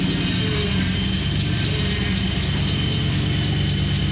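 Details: COE ramp truck's first fire-up after brake bleeding; the engine catches and settles into a steady, even idle with a smooth low rumble and no knocks or misses.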